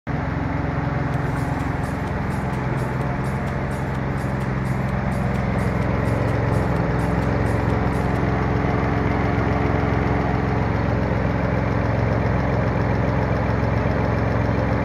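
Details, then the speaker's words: Nissan 350Z at idle: light, quick ticking about three per second over a steady idle; the dealership says the valve lifters are going out; owner plans an oil flush and full synthetic oil change to try to quiet it. "That's where I have the ticking noise, and did a lot of research on it. I even went to the dealership and they said, yeah dude, your valve lifters are going out."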